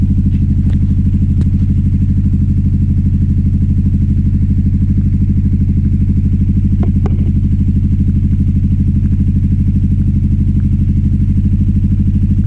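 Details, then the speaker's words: 2009 Aprilia Shiver SL750 V-twin: idle jumps up and down after about a minute running, lumpy and unsettled, no error messages; owner suspects sludge from the fuel tank, throttle body cleaning planned and upper cleaning did not fix it; erratic idle. "with the idle. It's just jumping up and down. It seems to be happening about after a minute running."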